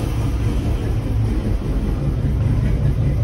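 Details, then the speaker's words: 1958 Chevrolet Impala with 348 V8, revived after years sitting, ignition timing retarded from way advanced, dwell not yet adjusted: deep steady exhaust rumble from the rear, no knocks or stumbles; running smooth. "But listen to this thing. It's running beautiful."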